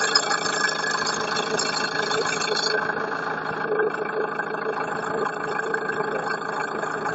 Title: Стук двигателя